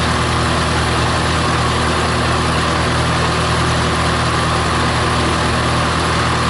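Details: Massey Harris 81 tractor, first run in 15 years, started on full choke with the flat tire pumped up, held in worn ruts: a steady, even low chug with no knocks or misses; a healthy normal idle.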